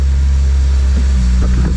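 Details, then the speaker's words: Toyota Celica after wire tuck and interior work, first start after owner heard no fuel pump prime: deep steady rumble as engine catches with a few brief bumps, then smooth run, some smoke; starts and runs fine. "I guess I just couldn't hear the fuel pump. Excellent! Yeah, yeah!"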